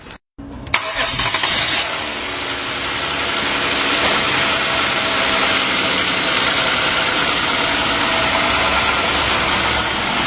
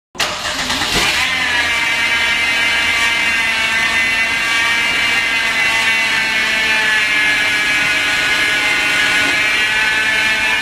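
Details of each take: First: 2011 Hyundai Genesis, after replacing a bad idler pulley and the drive belt (noise the customer thought was the power steering pump): the engine fires quickly and settles into a steady, even idle with no squeal or chirp; accessory drive now quiet. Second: 2011 Hyundai Genesis whose customer suspected a failing power steering pump; steady high-pitched whine holding pitch over the engine; actually a worn idler pulley bearing and belt.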